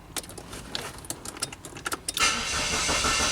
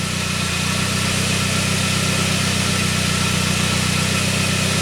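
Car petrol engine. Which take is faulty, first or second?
first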